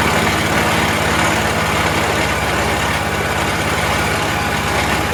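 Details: Troy-Bilt 22-inch front-wheel-drive self-propelled mower, 4HP Briggs Quantum, first start after a few pulls. Chugs at fast idle with an uneven hunting beat and heavy muffler smoke, possibly oil from lying on its side; oil good, little gas, carburetor suspected to need cleaning.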